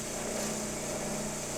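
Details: Synchronous motor under mechanical load, heard after it was pulled out of synchronism by cutting field current and adding load, then with the load reduced. A steady, even hum with no clunking or speed surging shows it has resynchronized and runs normally.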